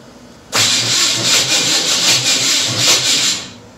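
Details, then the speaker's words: Truck's second attempt at a first start after milling to fix starter engagement with flexplate: strong, even cranking about three seconds at roughly three pulses a second; starter engages cleanly and turns engine over well. "it does it's cranking over now i kind of want to get it fired up"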